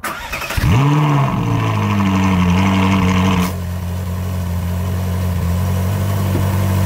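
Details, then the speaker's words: Ferrari 458 Spider V8 cranks, fires, flares briefly and settles to a smooth even idle after replacing noisy EVAP purge valves; the constant ticking from the old valves is now gone. "complete that is definitely quieter The Purge vales being replaced has definitely got rid of that ticking sound there was a ticking sound a constant ticking sound from those Purge valves that noise is now gone"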